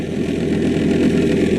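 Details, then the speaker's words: 1997 Saturn SL2 at idle after engine and transmission mount replacement: a steady, loud idle with a dense, rough mid-range drone and no clear knock. Owner suspects a failing AC compressor bearing or a bad tensioner, unconfirmed. Accessory drive noise. "maybe the bearing in the AC compressor is going bad maybe there's bad tensioner that could be what it is but let's see how it revs"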